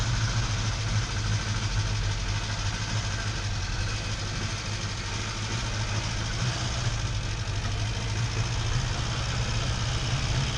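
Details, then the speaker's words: Barn-find car on its first drive in over ten years, idling with an uneven, stumbling beat and occasional popping; slight misfire, owner suspects timing and plans new spark plugs; cause not confirmed. "Definitely misfiring still slightly. Not a massive miss. That might be timing wise."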